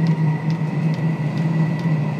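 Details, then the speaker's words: Previously non-lighting diesel heater run at maximum, pump at four hertz: steady low burner roar with light fuel pump tick about twice a second, glow plug off, combustion self-sustaining; normal running. "she's running glow plug is now off and it has a self-sustaining button"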